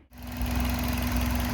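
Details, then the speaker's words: 2003 Toyota Runx 1NZ petrol four-cylinder idling smoothly and evenly, all cylinders firing in order 1-3-2-4, with no misfire. "Okay, so basically this is how your engine is going to sound if it's running proper. So right now we have the right firing order going on here. We've got 1, 3, 2, 4. All cylinders are firing."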